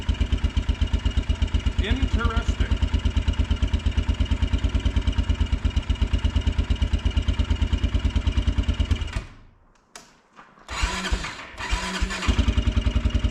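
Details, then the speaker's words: Kawasaki Brute Force 300 ATV (Kymco engine), ice cold, after adjusting tight valves for hard starting, backfiring and black plug; rhythmic chugging cuts out then catches unevenly; starts only when starter released, owner suspects low voltage (12.1–12.2 V) weakening spark. "so I'm curious of something because it only likes to start when you let off the start button I think the voltage is may be dropping or low low enough that maybe we're losing enough spark that it doesn't want to start"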